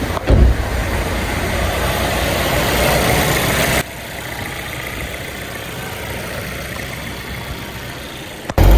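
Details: Turbocharged Volvo after the turbo was removed, broken exhaust manifold studs extracted and new manifold gaskets fitted: the engine fires and settles into a smooth, steady idle with no ticking or exhaust puffing; the earlier exhaust leak is fixed and it runs normally.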